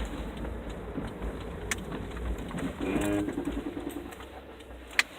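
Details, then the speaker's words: 2005 Toyota Matrix braking hard while pulling down a steep driveway at speed: short, low, buzzy groan over the car's rumble; owner suspects ABS reacting or a creaking, ungreased ball joint, unconfirmed. "that I think it's the ABS but I'm not quite sure what it is you know maybe it's the ball joint come loose no there's no oil in there I don't know either way it's making a hideous noise"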